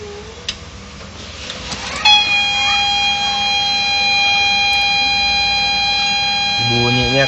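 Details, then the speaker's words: HP LaserJet 1010 printer at power-on: loud steady whirring drone with a sharp whining edge, like a grinding mill; suspected scanner unit fault, not confirmed. "Oke, jadi sudah jelas ada bunyi berisik. Udah, matiin. Biasanya kalau bunyi seperti ini ada keluhan atau kerusakan di bagian scanner."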